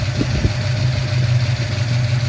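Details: 1971 Ford Torino with rebuilt 351 Cleveland V8 and upgraded cam, after a cooling fan upgrade: steady deep idle with even low rumble and a strong whoosh of fan air; runs smoothly.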